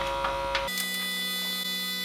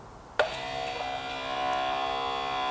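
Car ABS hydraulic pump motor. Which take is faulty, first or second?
first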